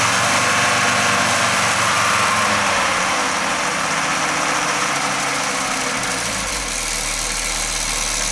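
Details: Audi 20V turbo engine at idle: steady idle with a regular rasping tick, about four per second, from the exhaust area. The turbo was already removed and overhauled and was not the cause; the source is still undiagnosed.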